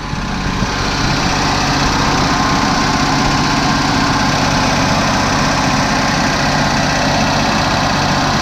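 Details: 1987 Oldsmobile newly bought, just started on about the fifth attempt after sitting: loud steady low idle with slightly uneven lumpy beat and some smoke; idling a bit rough, cause not confirmed.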